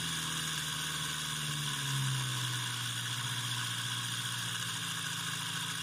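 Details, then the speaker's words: Homemade brushed DC motor, about a year old, on a power supply at raised voltage and high rpm: hum with rough buzzing vibration and wandering low tone, absent when first started; small imperfection grew into a bent-shaft imbalance. "now that vibration that you could hear that wasn't happening when i first started the motor in fact it was running so smooth at first that i thought it would always stay that smooth"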